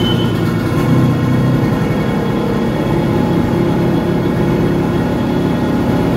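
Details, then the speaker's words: Yamaha XL800 WaveRunner 800cc two-stroke after full engine rebuild with new oil seals, bent low-speed carb needle replaced, and carbs set to the 800cc high/low spec. Steady, smooth, even low idle with no surging or misses: normal idle. "think that is music to my ears compared to what it's been when i first brought this thing home and it cranked wide open frog"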